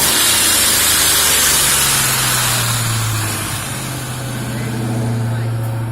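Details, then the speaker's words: Ford Mustang GT 4.6 V8 after installing a 5-speed ECU and replacing vacuum lines and breather line (fixing a leak); hot, steady low idle with a fine even sewing-machine tick over hiss, no misses; runs fine, though it once hung idle up on its own. "You hear it ticking like a sewing machine. Nothing's missing here."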